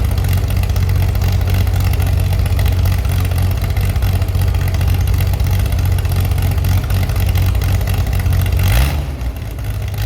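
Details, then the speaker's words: Chevy SS under restoration, engine restarted after the owner lowered the fuel level to fix a mistake; it has a non-original cam. Steady, even low idle with no misses, then a clean quick rev near the end: healthy and responsive. "Yes, very good, I have already managed to revive the Chevi's engine again. You can hear it and it sounds very good. It even has a very good reaction."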